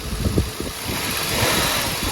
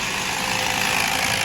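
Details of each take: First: Toyota Mark II (90 body) 1JZ-GE distributor engine after rebuild, idling after fix: steady smooth low churn, no knocking or ticking; earlier noise traced to water pump and its block-mounted cold-side part, now running normally. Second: Toyota Mark II 1JZ-GE with distributor, under 20 km after a poor rebuild, idling with a fast hard clatter and heavy misfire; noise traced to the water pump.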